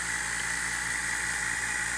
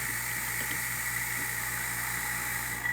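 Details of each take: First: A/C vacuum pump and gauge set, hose fittings deliberately left hand-tight: a steady hollow hiss over the pump's even running as air is drawn in at the loose fittings; the gauge moves and both sides leak. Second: A/C vacuum pump pulling suction on the gauge set during an equipment check: a quiet, steady hum with a constant whistle-like tone that does not change when the valve closes; the pump runs fine and the gauge holds vacuum.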